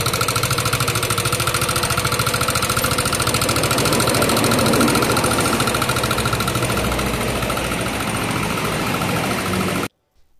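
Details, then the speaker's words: Yamaha NMAX scooter arriving with a rough-sounding engine: rough idle with a steady ticking rattle about three a second. Something is loose in the head, traced to the rocker arm (pelatuk). "hari ini Lucky motor kedatangan enak yang bunyinya cukup kasar seperti ini teman-teman"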